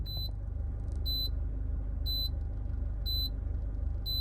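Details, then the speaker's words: Mitsubishi Colt CZCT convertible (4G15T MIVEC turbo), still on its original turbo: steady low idle rumble with a sharp high double beep about once a second as the turbo timer counts down before shutdown. "forgot it had that maybe one of the reasons it's still on its original turbo"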